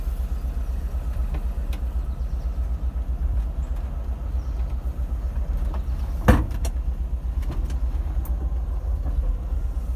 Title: VW Bus Piston Slap